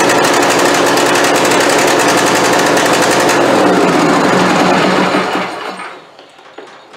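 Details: Craftsman YT4000 hydrostatic riding mower after fuel system work, valves not yet adjusted: rough running with fast uneven pulsing about four beats a second, then falters and dies; likely fuel delivery, owner expects carburetor problem.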